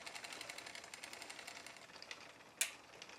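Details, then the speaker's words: New Poseidon Triton road bike during build, front derailleur low limit being set: faint quick even scraping ticks as chain rubs the front derailleur's inner plate; fixed by adjusting the low limit screw inboard. "I've got a lot of rubbing now between the chain and the inner plate of the front derailer"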